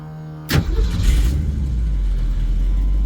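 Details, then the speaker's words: 1980s-built Ford Mustang II drag car with a small-block Ford V8 and a failing C4 transmission: at start-up the engine catches with a harsh whirring grind lingering under idle as the starter sticks in the flex plate. "Starter just stuck in the flex plate."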